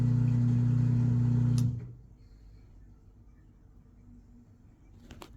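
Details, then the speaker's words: Washing machine on spin cycle after flipping electrical and ground wires: brief steady hum of drain pump now running, then cuts off, drum not spinning; it keeps going back and starting over, cause not yet found. "It's not doing anything. It's draining, but it's not spinning."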